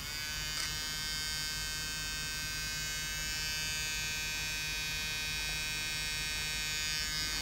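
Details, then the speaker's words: Floppy drive of an old Toshiba Satellite Pro CDT440 laptop, opened, disk inserted: steady high motor buzz with faint irregular flutter. Disk rotated a little until the slack drive belt slipped. "yeah it was rotating a little bit until it basically slipped"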